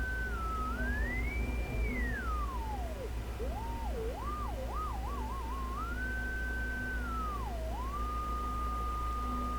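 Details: SBE Model 34 SSB transceiver fed a roughly −58.5 dBm signal-generator tone near 7.16 MHz: a faint whistle slides in pitch as it is tuned over hiss. Reception is weak for that input; the owner suspects dirty components or an alignment issue.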